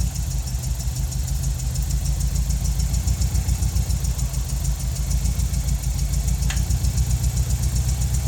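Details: Nissan 200SX engine at idle: low rumbling idle with an uneven pulsing about three to four beats a second; something sounds off, cause unclear.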